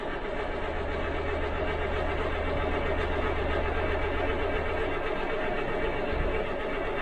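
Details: Land Rover Series III 109 van, started after long storage on a borrowed battery with a primed fuel pump, on choke in neutral: a steady, even low rumble at idle with no misses, knocks or hunting; it runs normally.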